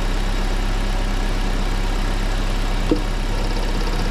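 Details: Engine idling after each cylinder's spark plug lead was pulled and refitted in turn during misfire checks: steady, even low hum with one small click and no stumble or missing beat; normal idle.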